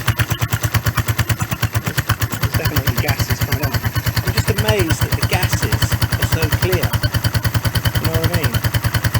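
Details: 1994 Suzuki GN125 single after carburettor clean and clearing a blocked main jet, choke on: even, quick thumping, every beat firm with no misses or stumbles; clean, healthy idle.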